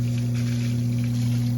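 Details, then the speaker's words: Whirlpool Duet Sport front-load washer that was leaking onto the floor, draining: steady low electric hum with faint watery swish; drain pump running, though a leak somewhere near the back persists. "just draining the water out"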